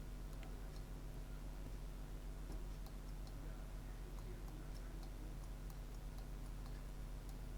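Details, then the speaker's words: Eufy RoboVac 11 roller brush motor (believed 12 V) on a bench supply at 10 V: faint uneven ticks over a low hum. The motor is still clicking and stalling against a stiff gear after the jammed roller was freed. "It's moving freely. I still hear it clicking."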